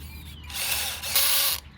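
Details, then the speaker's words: Converted RC Masito Bobcat T590 tracked loader on a 7.4 V 2S 1200 mAh battery, running on dirt outdoors: sudden burst of harsh, rapid ratcheting as the track skips; rock jammed in the track drive, risking gearbox damage. "I got a rock stuck in there, see it? So when you hear that, stop. Get the rock out of there. Don't damage your gearbox."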